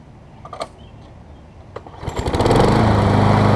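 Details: Engine from damaged MTD push mower swapped onto good Troy-Bilt deck after bent blade, bent crankshaft and sheared flywheel key found: fires after a couple of pulls, steady even drone, vibration about 90–95% gone.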